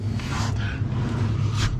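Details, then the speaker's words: Classic Mini Clubman Estate at idle: low rumble with sharp hissing puffs from an exhaust leak where the loose rear box has come loose, to be tightened. "where are you blowing from can hear you blowing you're definitely blowing at the back here"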